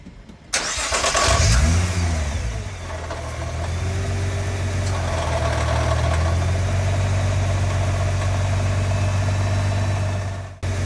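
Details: Nissan GT-R R35 cranks, catches and settles to idle with a loose metallic rattle underneath, typical of a failed bellhousing. Fix is an upgraded bellhousing with hardened steel inserts and upgraded bearings.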